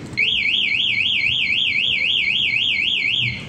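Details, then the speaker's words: Alarm being fitted to a new 2025 Honda Vario 125 (12 km on the odometer): shrill warbling tone rising and falling about four times a second for three seconds as the lock button arms it, cutting the running engine. "Jadi setelah motor hidup, kita tekan gambar gembok, motor akan mati, tak akan bisa hidup nanti lagi."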